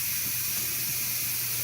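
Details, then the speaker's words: Pressure canner venting before pressurizing, processing meatloaf and chunk chicken, exhaust not yet set to airtight: steady, even steam hiss from the exhaust vent, no sputter or surging; normal steam venting. "You can hear the steam. It seems pretty steady."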